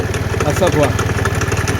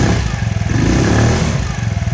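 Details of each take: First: Kymco Agility Renouvo Naked 50cc four-stroke Euro 4 scooter, variator found broken and belt torn; fast idle with uneven rattle and chatter from belt side, play found in bearing: worn variator bearing. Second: Kymco Agility Renouvo Naked 50cc four-stroke scooter after repair of broken variator, torn belt and oil change: small single fires, settles into an even low putter, briefly cuts out, then picks back up to a steady idle; healthy.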